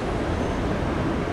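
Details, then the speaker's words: Frontier Airlines Airbus A320neo engine after repeated start problems; once started, a steady even turbofan roar with no surging or popping, running smoothly. "well summer was moody there for a little while but she got her act together fired up and that's just going yeah after all that noise watch how quiet this takeoffs gonna be"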